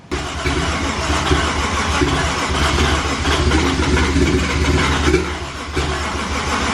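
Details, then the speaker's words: 1JZ engine freshly installed, first start attempt: long steady cranking with ragged catches that never pick up into a run. The battery was drained from repeated cranking and water came out of the turbo; cause not confirmed. "we've killed the battery from trying to start it so we got it charging now so close"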